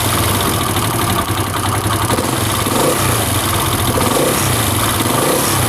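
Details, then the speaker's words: CD70-type single-cylinder motorcycle (Chinese-made), after fixing a head/timing noise caused by a damaged cam sprocket: revs blipped and released fall back cleanly with no ticking on the overrun; the earlier noise on deceleration is gone. "तो यहां पे दोस्तों आवाज़ जो है वो काफी बेहतर हो चुकी है इसकी रेस देकर छोड़ दे के ढाबा"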